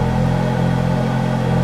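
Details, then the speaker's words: 2008 Ferrari F430 V8 just started, gearbox priming with slight whine; deep, even rumble settling into steady idle with no knocks, misses or hunting; sounds exactly as it should; normal idle. "and the car's just fabulous sounds beautiful sounds exactly as it should do"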